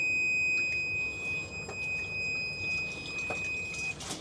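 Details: Magic Chef 1.7 portable washer, five years old and filled with water: one steady high-pitched beep for about four seconds, an alert tone, probably because the door was opened. The washer is broken and its motor won't spin.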